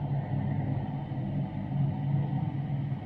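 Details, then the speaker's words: Newly installed extractor fan with a solenoid-driven delayed shutter, just switched on: steady low hum with an even airflow rush and no rattles or scraping, shutter starting to open, good draw; normal running. "Okay, so fan's on, you can hear that. You'll see in a minute the delayed shutter action in action."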